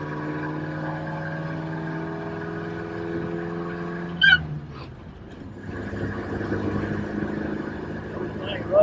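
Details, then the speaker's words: 1953 Buick Special first drive after sitting over 30 years, valves not adjusted, odometer 25,000 but believed at least 125,000 miles, loose shifter: a steady, even engine note with a smooth drone under light load and no knocking or misses; runs good. "It sounds good, doesn't it? It does. I mean, the motor sounds, I ain't adjusted the valves."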